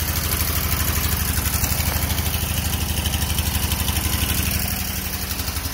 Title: No compression